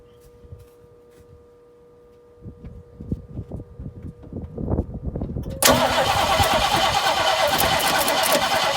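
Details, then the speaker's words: 1968 Mustang, sitting 8 years, probably points ignition: starter churns about three times a second, catches with a rough roar but dies; possibly fuel-starved carburetor, possible bad condenser mentioned. "Probably burnt off the fuel light dump there. Yeah. Got a tiny kick though."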